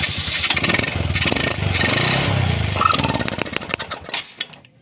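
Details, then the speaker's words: Honda Supra X 125 carbureted motorcycle, hard to start and sputters on throttle: engine catches and runs ragged with uneven gaps, then stumbles and dies; ignition and fuel line checked normal, carburetor main jet found detached. "Oke, tetap saja tidak akan berhasil, teman-teman. Ini sulit."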